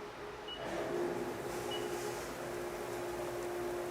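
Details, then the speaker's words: Milling cutter taking a stable cut right after a chatter (unstable) cut: a steady, even tone with no ringing or chatter. "We'll next complete a stable cut and you will hear the difference."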